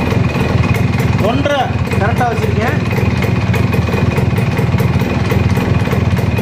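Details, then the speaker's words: Suzuki Max100 two-stroke just started after home carburetor cleaning: steady, even idle with a quick low putter, about four beats a second, and no misfire. Normal two-stroke idle, successful start. "வண்டி start ஆயிடுச்சு நண்பா success அவ்வளவுதான் நண்பா ஒரு வழியா நம்ம வண்டிய start பண்ணியாச்சு"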